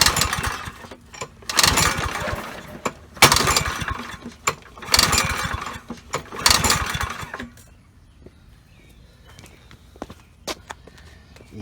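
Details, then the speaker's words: Troy-Bilt 3-in-1 self-propelled mower, Briggs & Stratton 675 series 190cc, curb find: four or five sharp recoil pulls, each a rasping spin-over with no firing; no spark, suspected magneto. "absolutely nothing I'm gonna say it's probably the Magneto"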